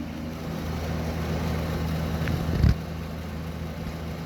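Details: Vintage Eaton Viking dehumidifier after thick rubber was taped to the centre of the vibrating panel: even low hum with no panel rattle, just a faint wobble from the unbalanced fan; vibration now acceptable.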